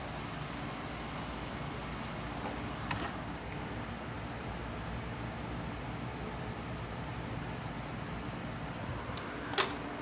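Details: Macintosh IIci power supply, tested out of the computer after shorting the soft-power line: soft steady airy whir of the supply fan with no rattle or pitch change; fan running normally.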